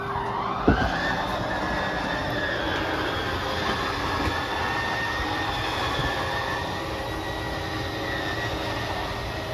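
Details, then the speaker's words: 2022 Forest River RPOD 202 travel trailer: at full slide-out extension, the slide motors give a steady whine at one pitch over a low hum as they square off, then shut off; normal. "So once that slide's fully extended, we're just going to hear the motors kind of whine a little bit, and they'll square themselves off and then turn themselves off."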